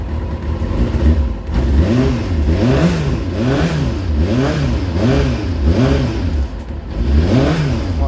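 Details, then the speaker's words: Rebuilt Kawasaki Ninja motorcycle, still cold just after the choke came off: blipped repeatedly, revs rising and falling cleanly about every 0.7 seconds and catching crisply each time; normal warm-up running. "i'll let that tick over for a little while get a bit of warmth into it and uh should be good"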